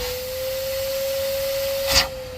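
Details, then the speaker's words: Kitchen sink drain line in cast iron basement plumbing: shop vacuum on the line gives a steady strained whine at one pitch with no airflow surges, constricted because the drain is plugged. "now you hear that the vacuum is under constriction that means it's plugged"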